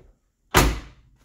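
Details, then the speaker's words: 1970s Ford/Mercury/Lincoln door after door striker bolt replacement: one solid, deep slam with clean latch catch, no clicking, rattle or double click; normal door closing. "Pops right open. This is the best one so far. I love it. That's the sound of a Ford Mercury Lincoln door right there,"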